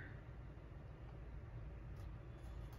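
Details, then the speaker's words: 2014 Ford E350 5.4L V8 with P0200–P0208 injector circuit open and P0300/P0304/P0307/P0316 codes: low, uneven idle rumble with recurring stumble; power balance shows cylinder 7 dead misfire from an open injector circuit, repaired with crimped pigtail wiring. "Insight oh there you have it cylinder 7 is a dead misfire so that could be section Focus"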